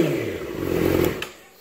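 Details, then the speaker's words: 2017 Yamaha R6 with smog block-off plates, after removing the butterfly valves in the head so the plates seal (third attempt): the engine blips and drops back smoothly, with a quiet top end and no more valve tick. "all better no more tick after round three of doing it so we're good now"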